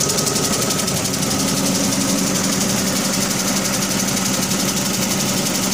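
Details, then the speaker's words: 2005 Dodge Neon about 200–300 km after head, exhaust manifold and intake gasket replacement: quick even ticking over rough idle, following engine speed; owner suspects stuck lifter, blown manifold gasket or broken manifold bolt, unconfirmed. "so it changed the head gasket and manifold gasket and intake gasket and about 200 kilometers on it and now she's making a real bad ticking noise don't know if it's a lifter stock a little bit of dirt maybe I blew the manifold gasket or broke a bolt putting the manifold back on"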